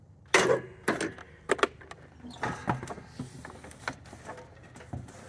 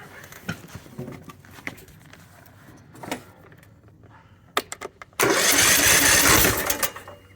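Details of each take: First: 20 hp lawn tractor with a 42-inch deck that won't start even after a new battery: scattered sharp clicks and clunks but no cranking rhythm, and the starter Bendix stays up at the flywheel. Compression lock; turn the flywheel to release the pressure. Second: Ariens 20 hp, 42-inch lawn tractor that won't start despite a new battery. After the cowling was removed and the flywheel turned to release cylinder compression, a few clicks are followed by the starter cranking strongly and freely; the likely fault is the starter failing to overcome compression.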